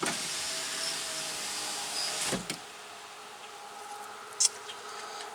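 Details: 2005 Chevy Tahoe power window: motor hums steadily for about two seconds, then a thunk as the glass stops; window had quit due to a bad connection at the motor, not a failed motor.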